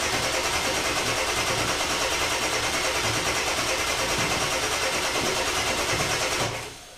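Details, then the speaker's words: 2000 Ford F250 7.3 Powerstroke, first start after installing modified stage 1 injectors, glow plugs and UVCH, with high-pressure oil drained and fuel rails empty; steady starter churn at about three turns a second, no firing, extended cranking. "it's probably gonna take some cranking so it'll be crank it for 20 30 seconds give the starter a break crank it again give the starter a break"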